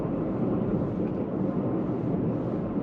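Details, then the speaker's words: Leapmotor C11 electric car at 4,370 km, driving: steady low droning rumble that varies as steering load shifts; not the brake discs, traced to the front left wheel hub bearing. Worn wheel hub bearing. "on dirait après tout ce ne sont pas des disques mais ça ressemble à des roulements de moyeu"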